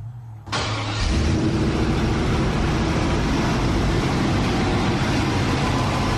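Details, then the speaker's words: Turbo LS1 V8 in a Mercedes AMG wagon, newly wired to a Holley Terminator X Max with incorrect injectors fitted: loud, uneven, lumpy idle from a large vacuum leak caused by a disconnected line, which is then reconnected. "it's funny I had this disconnected massive vacuum leak let's fix that and see how it runs"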